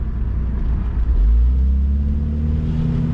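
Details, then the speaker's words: 2002 Saab 9-3 convertible with a check engine light: under light throttle the deep engine rumble sags and holds low as rpm drops toward a stall, oil light coming on too; owner suspects the throttle body or boost control valve, cause unconfirmed. "watch the rpm drop engine oil light comes on too so i'm not sure what is going on there it's kind of odd"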